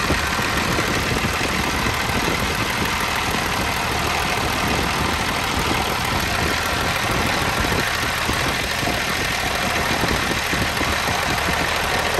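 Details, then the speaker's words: Old International dump truck, parked about 15 years, mechanical fuel injection: loud steady diesel clatter at even idle, running on and not dying despite pinched fuel line; keeps drawing air even with the air box opening choked. "it's connected to the battery and it's still running mechanical fuel injection doesn't need power for it to run so i gotta shut fuel off or shut air off one of the two"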